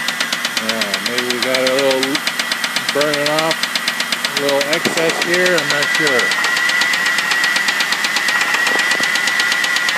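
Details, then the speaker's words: 2000 Crown Victoria, started by jumping the solenoid with a bump switch since key start did nothing: loud, fast, fairly regular tick over idle with faint high whine; top-end source unconfirmed; small passenger-side leak noted. "so it's got a real loud tick"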